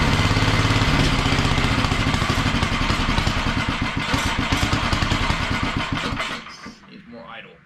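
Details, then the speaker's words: Wheel Horse mud mower with Tecumseh engine, Mikuni-style slide carb, governor arm removed, needle clip at richest position: single-cylinder thump crisp and regular at steady fast idle, then winds down at shutoff; running good. "so now that she's running good I'm gonna go take it for a test since we've got kind of a decent day"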